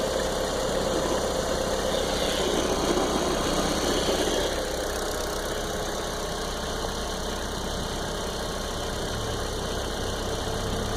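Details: Cold 1.8T turbo petrol engine idling after a night at low air temperature: steady, fairly regular light knocking, about four beats a second, that goes away about a minute after start or 20–30 m of driving.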